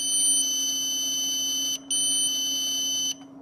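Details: 48 V e-bike charger (54.8 V output) after component replacement gave no output: steady shrill continuity beep, a break, then beeping again; output filter capacitor terminals still dead short even with capacitor and rectifier removed.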